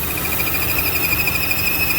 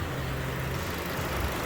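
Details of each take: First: 2015 Chevy Cruze, check engine light, rough hunting idle: thin steady whistle from PCV valve on valve cover sucking unmetered air past MAP sensor, engine running lean, high fuel trims; PCV vacuum leak, fixed by new GM valve cover. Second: 2015 Chevy Cruze after new GM valve cover/PCV replacement: steady low even idle, no whistle or stumble; short-term fuel trims near zero, check engine light reset; normal idle.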